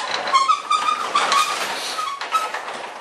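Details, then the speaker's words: 9x7 garage door with EZ-set torsion spring being raised by hand: short high-pitched squeaks in bursts from the dry plastic rollers, which need lubricating. "and you kind of could see what I'm talking about and just that's squeaking that's those plastic"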